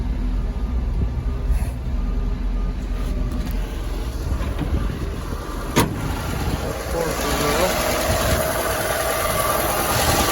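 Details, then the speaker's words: 1964 Chevrolet C20 long bed that sat 19 years, just started after fixing a fuel line leak; loud, clattery, uneven idle with a rising tone near the end and smoking; owner hoped the rings would free up; noisy rough running. "oh she is very noisy that's a whole lot of Bullseye but foreign I was hoping this truck maybe the Rings would come around"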